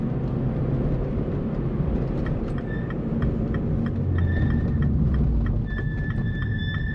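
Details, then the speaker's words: Mini Roadster JCW driving at warm temperature after brakes got wet, slowing for a roundabout: thin high squeak near 2 kHz coming in and out, lasting longer as it slows; persistent brake squeal. "we yeah that's the problem that's the squeak all the time"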